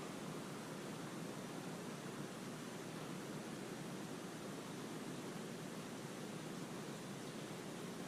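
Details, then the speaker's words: Slab leak found with ST-2000 water leak detector, system pressurised with air compressor: steady, even, loud close hiss with no rhythm; pressurised water escaping from a likely failing iron pipe under the slab. "You can hear it really close. It was unbelievable. Shut it off. I'm saying the leaks right here because it was, maybe it was running down."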